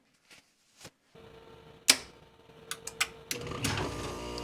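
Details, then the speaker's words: Heat pump/AC compressor starting through a soft start on battery inverter power: a few relay clicks, then the compressor comes up to an even hum with no hard thump, about 23 A inrush. Smooth soft start working. "Wow, that was smooth. Look at that. 23 amps. That is amazing."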